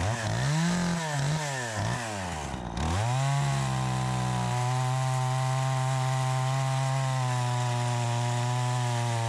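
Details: Troy-Bilt 20-inch chainsaw, bought new, after carburetor adjustment: bogs and recovers through a few cut strokes, then holds a steady high rev under load; crisp, even running, owner thinks a bit more RPM possible; normal cutting under load.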